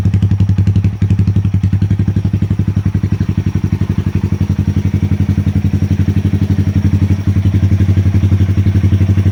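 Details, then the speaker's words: 2020 Honda Grom 125cc, previously idling rough with misfire after exhaust change; after dashboard, ECU and throttle position sensor reset and about five minutes relearning at idle, crisp evenly spaced exhaust pulses at a settled, steady idle with no stumbles or hunting. "RPMs are quite nice and steady now."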